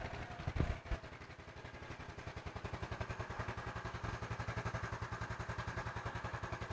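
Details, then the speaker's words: Yamaha Mio Smile scooter engine just reassembled, starts on first press of starter; single-cylinder settles into even, steady putt-putt idle about three and a half beats a second, runs clean, idle now normal. "Oke, cukup tekan tombol starter sekali dan mesin langsung menyala. Bersyukur. Jadi, sudah selesai. Putaran mesin saat idle sekarang sudah normal, teman-teman."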